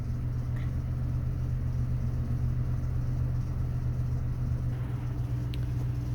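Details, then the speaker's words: 2000 Toyota Tundra 4.7 V8 automatic at idle after fixing crossed coil wires: smooth steady rumble, no shake; flashing check engine light stopped, cylinders 6 and 8 no longer misfiring; coil connector broken but working, coil to be replaced anyway. "puse los cables como iban miren y ya dejó de temblar la de flashear la luz y fíjense que ya está aquí Este ya no marca mira hay en el 6 y en el 8"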